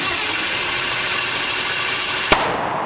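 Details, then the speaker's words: Twin-turbo 427 LS-swapped Camaro on gasoline with a generic base tune, first startup: cranking roar then one sharp loud bang and fireball from the exhaust, a backfire with ignition timing suspected about 180 degrees out, possibly from the reluctor wheel. "but when you crank this thing over, the fireballs are because we're way off time. Like feels like 180 out."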